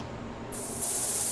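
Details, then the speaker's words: Ultrasonic cleaning tank at a fire restoration processing center, turned up to clean items' cracks and crevices: steady high hiss switches on and settles evenly; normal ultrasonic cleaner operation. "So we'll take them over here to our ultrasonic. We'll make sure we turn them up a little bit and you'll see that it will start vibrating."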